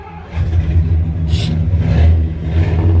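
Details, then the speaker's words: Old car with a replacement engine, cranked about once a week: fires right up, deep, even rumble picking up smoothly with throttle, no knocks or misses; runs healthy. "sounds good. The horn worked. Fired right up, man."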